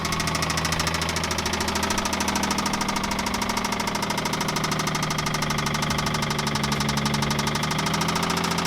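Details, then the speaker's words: Infiniti G35 after sitting a long time, bought with a rod knocking problem: sharp, fast, regular metallic knock about three per second over the idle, persistent, pointing to a spun rod bearing. "it has a blown or not a blown motor but it has like a a rod knocking noise or sound or problem"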